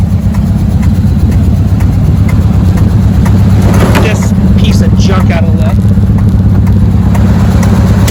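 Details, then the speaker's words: Circa 1980–82 Chevy squarebody truck with a 350 small-block Goodwrench engine, stuck in gear, idling with the transfer case in neutral. Loud V8 idle with an uneven, lumpy beat. Rough running; the owner suspects a sticky valve, unconfirmed. "it's not the happiest sounding truck I've ever owned something ain't"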